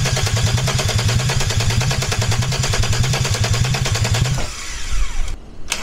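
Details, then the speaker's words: Peugeot 206 with a VR6 24-valve engine from a Sharan, first start attempt on temporary wiring right after the fuel pump is connected: starter spins with steady, even compression beats for about four seconds but never fires; no spark or fuel getting through. "bon ça fait pas de bruit [Musique] spécial pour l'instant ça ne démarre pas"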